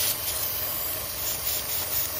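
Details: 2014 Chevrolet Cruze with rough idle and codes P0171, P0106, P1101, valve cover off: steady airy hiss over low idle from internal vacuum leak at PCV valve; covering it stabilizes the engine; fix is valve cover gasket replacement.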